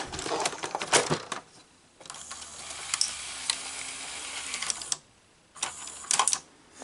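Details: Sony SL-S600 Super Beta VCR loading a cassette: bursts of light clicks and clatter with short motor whirs as the tape threads, then it settles. Loading is normal, but the capstan motor is dead.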